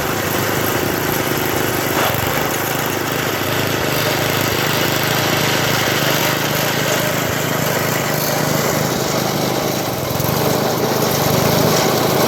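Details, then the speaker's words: 1980 MTD SnowFlite 5-20 snowblower with a new carburetor, cold-started after sitting hours outside at about -12, clearing snow: steady, even small-engine drone with constant hiss of thrown snow, no misses or knocks; running healthy under load. "foreign well I don't have too much bad to say about that that's no in front of the Skidoo is obviously kind of overkill for what this is meant to do but it uh plowed through it pretty good"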